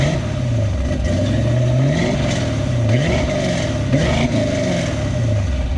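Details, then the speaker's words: 1950 GMC truck on a 1987 S15 chassis, LS7 of 630 hp, 4L80E, Holley Terminator X, after replacing a 2.5-bar MAP sensor, warming up: steady, slightly lopey V8 idle with no stalling. Normal idle; it previously died within 3 seconds. "but it definitely runs better runs longer than 3 seconds I figured the map sensor was the issue"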